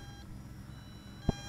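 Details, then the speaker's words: Eachine EX2 mini brushless FPV drone (1306 2750KV motors, 7.4V 850mAh battery) in flight: single sharp telemetry beep over the motor hum, the low-battery warning at the end of flight time. "Okay, coming down. There's our battery warning. It beeps too, by the way, if you notice."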